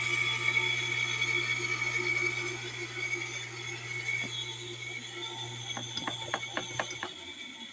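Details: Kawamoto N3-256SH well pump, rusty and dirty, sold as junk, suction untested: steady low motor hum with thin high-pitched whine, then sharp ticks as it runs down; abnormal motor noise.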